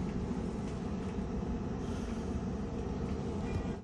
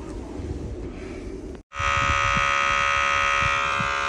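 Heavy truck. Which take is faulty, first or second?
second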